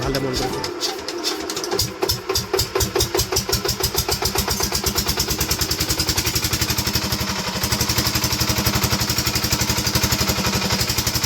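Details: 5 hp single-cylinder diesel engine: catches, then settles into even thump about four times a second with no knock; normal running.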